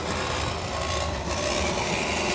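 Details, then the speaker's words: Honda MD90 postal Super Cub, after a puncture repair, running: a steady dry rasping scrape as the drive chain rubs inside its chain case, which had been bent hitting a curb and was later replaced with a new cover. "I hear the sound that the chain rubs inside the case as I run it"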